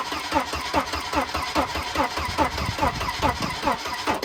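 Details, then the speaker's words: Wrecked Volvo 240 B230 cranking evenly at about two and a half turns a second without catching; ignition coil fed 12 volts got very hot and burnt out, giving no spark, no-start. "Turns out 12 volts to a questionable coil burns them up. Yeah, that one got real hot."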